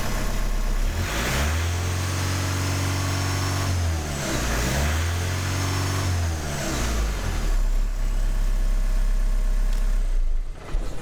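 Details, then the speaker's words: VW TDI diesel swapped into a Jeep TJ, with the sensor plugged in: needs one to two seconds of cranking to fire, then revs in uneven, flat, strained surges, seeming to over-fuel with no boost building; running poorly, cause not confirmed. "it takes a little bit before it starts i need to crank it like for maybe one two seconds before it fires up and then it feels like it gives like too much fuel i guess and doesn't produce any boost neither"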